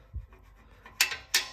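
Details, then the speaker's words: BMW F-series exhaust, flap actuator removed with broken clip: few sharp metallic clacks as the flap is moved by hand; loose exhaust flap rattles. "and it makes a lot of noise when it's yeah, exactly."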